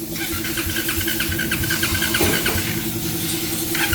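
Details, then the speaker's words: Motorcycle that would not start: engine catches but runs roughly, stumbling briefly as it cuts in and out when the injector is moved; socket checked OK, intermittent injector connection suspected. Harness replacement and anti-corrosive contact spray advised. "O injector naman ulit. Okay na yung socket pero pag ginagalaw yung injector."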